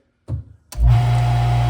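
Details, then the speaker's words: EMPAVA 67-inch acrylic freestanding whirlpool bathtub pump motor: dull thump, then a sharp jolt as it starts into a steady low hum; the motor moves because its cracked, poorly welded aluminium mounting housing is loose. "See, that's the only movement. When it starts, it has that like."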